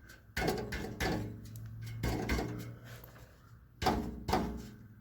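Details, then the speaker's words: 2012 Chevy Cruze exhaust, muffler tapped: each sharp tap sets off a brief tinny internal rattle; a baffle inside the muffler has broken loose at one end but not farther up. "there's a baffle inside it's breaking loose it's broken loose on this end but not farther up"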